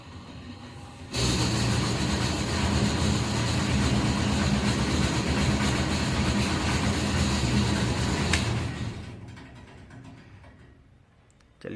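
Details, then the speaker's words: Hot air oven with the fan running: loud steady roar with a low hum that starts when the fan switches on and fades when it stops; noise from the fan section, fixed by tightening the loose fan. "इसको start करते हैं जैसे fan on करते हैं इसका आवाज आता"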